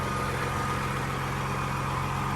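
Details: FLD truck diesel idling while being readied for the road: steady low rumble with an even beat and no knocks or misses; smooth, healthy idle.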